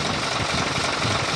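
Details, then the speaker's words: Fuso 220 PS diesel truck after repair of a loose injection pump timer that caused clattering: steady idle with even, uniform clatter and no odd knock; the noise is gone. "Hai tidak ada lagi ya bunyinya beberapa ke tempat nih"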